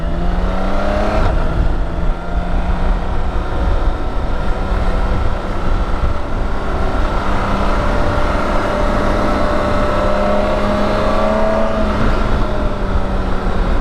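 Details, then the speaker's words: BMW K1600GT motorcycle under road load: steady low hum with a thin whine rising and falling with speed. Drivetrain noise described as characteristic of every K1600 ridden; cause not pinned down. "Alright. So it is a characteristic sound. That's why every time I ride that thing I go, I know that sound. It's because everyone you ride does it."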